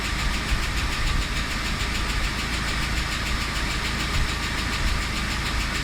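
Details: UAZ Patriot at idle: light, fast ticking rides over a steady idle and keeps time with the engine, the typical chatter of noisy hydraulic lifters. Hydraulic lifter tapping.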